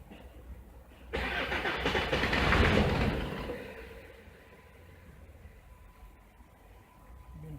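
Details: Jeep diesel with BP 36 injection pump, alternator disconnected: cranks, catches and revs about two seconds, then dies; it still shuts down, so the owner doubts the alternator is the cause; cause not found.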